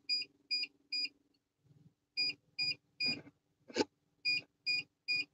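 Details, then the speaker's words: Truck APU inverter drawing power: sharp high beeps repeat in quick bursts about every half second with short pauses, an inverter warning alarm "playing a song"; owner calls the new inverters and APU junk. "yeah these new these new inverters are junk are junk it's playing a song"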